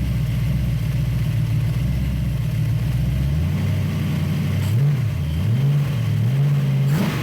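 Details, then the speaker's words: 1966 Ford Bronco 302 V8 with Lunati VooDoo flat-tappet cam, headers and Cherry Bomb Vortex mufflers, after replacing a lifter with a bad metering plate: deep idle climbing cleanly on throttle blips, lifter tick gone; normal running. "all right so uh i hope that sounds as good to you guys as it does to me because uh as you all know we have chased a few gremlins on this engine and but it really sounds good"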